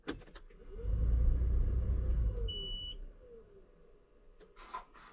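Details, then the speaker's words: John Deere 7830 tractor after replacing a seized VGT turbo actuator (VGT actuator power supply code): engine off, at key-on a brief electric whir sweeps up and down and settles, the actuator cycling normally. "we should hear the vgt turbo cycle when we turn the key on"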